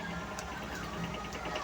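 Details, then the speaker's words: Airfinity electric fan running: a steady hum with quick, regular light rattling ticks as it shakes, vibrates and sometimes jumps. Adding a missing base screw didn't help; noise points to an out-of-balance blade. "Tapos ayan oh. Maingay siya. Ma-vibrate. Mapapansinin ninyo. Ma-vibrate siya."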